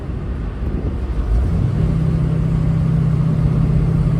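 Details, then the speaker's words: 1969 Pontiac Firebird with Holley Sniper EFI on a test drive of almost 10 miles after the bad injector was replaced; the engine pulls up cleanly under full acceleration with good air-fuel readings and no stumble, with road noise underneath. Normal running after repair. "so far so good seems to be running pretty good"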